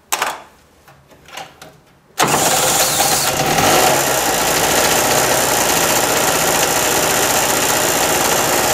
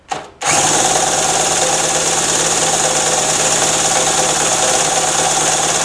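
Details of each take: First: Harbor Freight mini generator, flooded after storage with fuel valve left open, now restarted: cranks, catches after about two seconds, settles into steady buzzing run with no misses, powering an electric heater; normal running. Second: Harbor Freight mini generator, about 7–8 months old, stored with fuel valve open, cranked by a drill via extension, choked: steady fast spinning, no firing; has spark and fuel, spark plug flooded.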